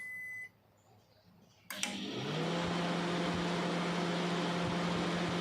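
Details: Sharp R-241 microwave brought in not powering on (fuse suspected blown): one short beep, then a steady low hum with fan rush as it starts and runs evenly; control board and relay working normally.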